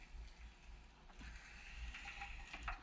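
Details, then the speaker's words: Showa 49mm closed-chamber conventional fork from a 1997 Suzuki RM125/RM250, during reassembly: hand-pumping the damper cartridge gives whooshing strokes with a faint gritty, crunchy crackle, meaning air still trapped; keep pumping, then let it sit about half an hour. "So once it sounds like that and all you hear is kind of like a whooshing noise, that's good. But if you can hear that kind of crunchy crinkling,"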